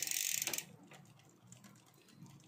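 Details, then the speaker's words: Bicycle (Giant Fathom) after fitting a new 12-speed chain replacing a stretched, worn one: a short burst of clicking as the gear bites at once, then the drivetrain spins quietly with no ticking; chain meshing cleanly. "Ito kagat agad. Yan. Isang click, shift. Isang click, shift."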